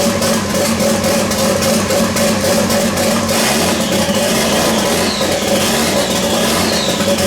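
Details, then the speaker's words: Toyota Supra with a 1JZ swap, first start after eight and a half months of work: engine catches and runs, revving steadily with light valvetrain clatter; oil leaks and smokes from the turbo oil fittings. "all right so and the engine it was great fantastic it runs that's hecking dope"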